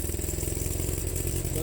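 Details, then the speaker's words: Welder's small gas engine with a new carburetor, running with a toggle-switch throttle bypass: lumpy, uneven low thumping as it throttles up, never smoothing out; owner suspects the carb needs more tuning. "sounds like I got to tune that carb just a little bit more. It should run a lot smoother than that."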